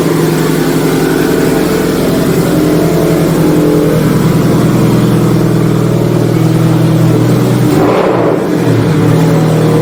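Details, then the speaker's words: Subaru STI with a Tomei exhaust after new gaskets were fitted to cure an exhaust leak: loud, deep note that climbs cleanly with revs and settles back, with no ticking or puffing at the joints. The exhaust sounds normal. "Loud, Well, it's a good loud. huh? Neighbors aren't going to like me though for this."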